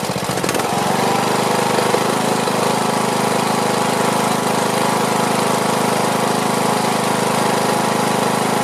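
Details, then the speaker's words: Briggs & Stratton Platinum 21hp mower engine after topping up oil, old air filter on: steady but slightly uneven beat after startup, muffler burning off oil; owner plans carburetor cleaning and tweaking. "well I think that's got it just got to let all that stuff burn off well I have to say it's running you know I'm still paranoid about it but uh I guess all I need to do is just tweak it"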